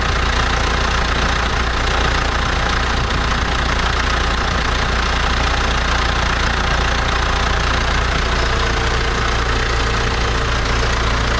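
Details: International Harvester TD-7 Series C bulldozer diesel, after a Bosch VA4 injection pump rebuild, idles with steady, even clatter and no hunting or misfires; normal idle.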